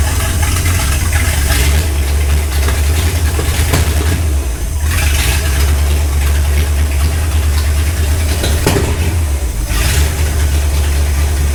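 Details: Ford Galaxie 500 on first start after restoration, third attempt after belt tightened, firing order checked; loud lumpy idle with sharp pops every few seconds; sounded like excess fuel, carburetor leaking, floats possibly too high, cause unconfirmed: backfiring, rough running.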